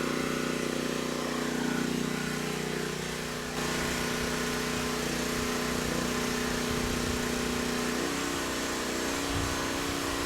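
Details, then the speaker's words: Titan TG8000Z generator after repair (bought as only running on starting fluid): a steady, even drone holding one pitch under load with no hunting or surging. Output reads 60.8 Hz and 128 V, slightly high but okay; it is running normally. "not too bad started right up sounds good surging is not an issue and handle the load just fine"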